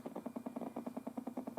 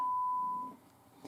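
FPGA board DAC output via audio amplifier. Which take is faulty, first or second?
first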